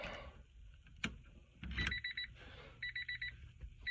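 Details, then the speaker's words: 1994 Honda Civic hatchback with starting trouble, after lock cylinder replacement: key-in warning chime beeps steadily about two bursts a second, holding without dropouts when key is wiggled; switch making solid contact, normal chime. "thing you can hear the beat so that's a good sign wiggling it and you still still hear the beep so that's a good sign"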